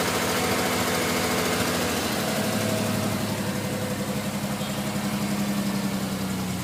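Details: Non-turbo Nissan R33 at cold idle after sitting about 2 days and hard cranking: idle dips then lumps along with irregular pulsing, misfiring until about 10 minutes warm-up; coilpacks, injectors, gasket, fuel supply checked fine; cause unknown.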